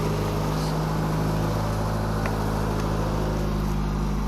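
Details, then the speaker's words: 1991 Honda Civic fitted with stiffer motor mounts: a steady low droning hum at an even idle, with vibration carried strongly into the car; the owner attributes the hums to the stiff mounts, and a slight knocking is starting. "Yeah, the hums and stuff is from the motor mounts. I put stiffer motor mounts in the car because I kept breaking them and stuff."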